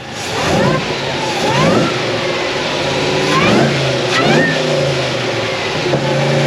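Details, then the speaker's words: Supercharged LSA V8 drift car on E85 with fresh tune and two 525s for fuel, revved repeatedly at the shop: clean pulls with blower whine rising and falling, no misses or stumbles; smooth, healthy running under load. "It sounds so good. It's so smooth, too. I love that part."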